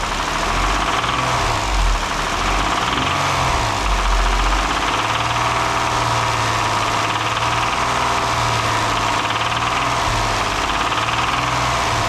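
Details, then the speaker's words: 2012 Kia Sorento 3.5L V6, 252,000 miles, run out of oil, warming at idle in cold shop: loud hard rattling knock over engine beat; oil starvation likely caused internal damage. "uh she rattles hard so um I'm sure running out of oil probably did some damage"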